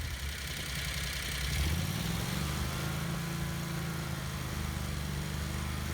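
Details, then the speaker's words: Renault with 670cc Predator engine, after leak check with starting fluid: steady low thump at idle that picks up cleanly on throttle blips, no hiss or stumble; running normally. "Let's goose the throttle and see how it sounds. Yep, that sounds good."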